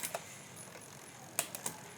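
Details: Rear mechanical bike derailleur after cable-tension adjustment, running through the cassette: a few crisp light clicks as the chain steps across the cogs, no grinding or chatter; rear shifting working cleanly.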